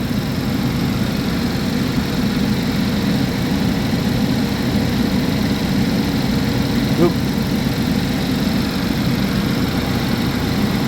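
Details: 2011 GMC Terrain / Chevy Traverse, recurring P0341 cam code after new phaser solenoids and cam sensors; acts up only once hot. Cold idle during cam waveform check at 2.5 V/div: steady constant low hum, no knocks, ticks or misses; normal.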